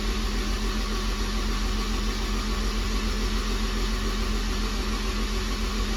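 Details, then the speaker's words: Honda S2000 2.4 engine after rod bearing replacement, cranked with plugs out to build oil pressure. Even, steady churning with no knocks; solid oil pressure confirmed, fuel pressure thought present. Normal cranking. "good there is that's what you want to see is a nice solid oil pressure"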